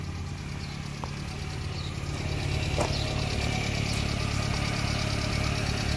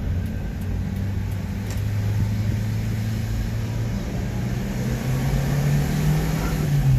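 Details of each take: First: Subaru Sambar Hicab (KS4/KS3 kei truck) small petrol engine idling with a slightly uneven pulse and faint airy hiss; vacuum leak, fixed by reversing the vacuum lines. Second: Subaru Sambar kei truck driving: smooth, even engine drone climbing cleanly in pitch as revs rise, no knocks or misses; engine revving normally.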